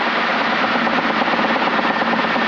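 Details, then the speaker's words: Helicopter passing overhead at high blade speed and low collective: harsh, rapid, sharp-edged blade slap over a loud rotor roar, which goes away when descending or climbing. "Did you guys hear that? That's blade slap. If I go farther down, it goes away."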